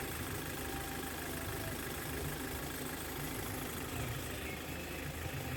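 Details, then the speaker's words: 2015 Hyundai Verna Fluidic diesel after timing chain replacement for chain noise: even idle with a steady, smooth clatter and no rattle or chain slap at start; engine idling normally. "അപ്പൊ ഇത്രയും കാര്യങ്ങൾ കാര്യങ്ങളാണ് വാഹനത്തിന് engine നല്ല smooth സൗണ്ടും നല്ല റണ്ണിങ്ങും ആണ്"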